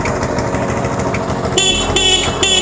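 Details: Motorcycle running with its dead battery replaced by a capacitor. Three short, clear horn blasts over a steady idle, each a bright, even tone. Horn working normally.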